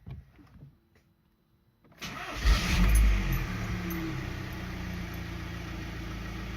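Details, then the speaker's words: Audi A3 2.0 diesel BKD with hot-start problem, engine hot with coolant temperature sensor disconnected; short crank, catches at once and settles to even idle, starting well; cause not confirmed, starter later replaced. "starts very good that's where dinner the car is hot but the sensors disconnected"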